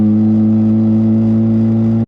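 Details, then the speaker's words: Ported Mazda FC RX-7 rotary, warmed up, on a road drive after long disuse: steady droning buzz at constant revs, then sharp cut as throttle closes; rotary sounds healthy and even, as the owner intended. "awesome sounding car exactly how I wanted it to sound when I built it so I'm glad it worked out that"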